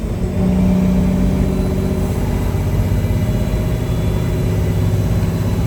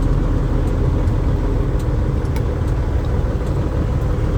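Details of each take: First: Peterbilt 359 truck, freshly completed engine with reworked injection pump, on test drive pulling a heavy trailer of about 28–29,000 lb, 13-speed, below high gear: deep, even diesel drone pulling steadily with no knocks, misses or whines; strong, healthy running under load. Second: Diesel truck at idle before repair: heavy rumble with a rough, puffing edge over the steady idle; exhaust leak.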